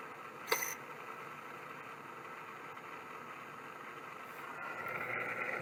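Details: Voice-coil hard drive spinning up: thin, steady rough whine and faint scratchy hum, worn spindle bearings; may clunk at spin-down, owner considers oiling them.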